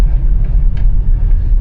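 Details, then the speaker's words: 2017 vehicle with 107,000 miles, test-driven at a dealer auction, heard from the cabin: deep, even rumble pulling smoothly under acceleration with no knocks, ticks, rattles or vibrations; the engine sounds healthy. "She feels healthy. No weird sounds, no crazy vibrations, just power."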